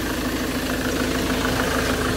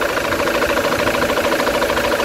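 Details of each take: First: Ford Transit at idle after replacing the noisy crankshaft pulley: steady, even clatter with no odd knocks or squeals, engine quieter; normal idle after repair. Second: Ford Transit engine at idle after replacing tensioner and idler pulleys: regular light knock about three times a second keeping time with the engine, unchanged; injectors and coil ruled out, diagnosed as a noisy crankshaft pulley.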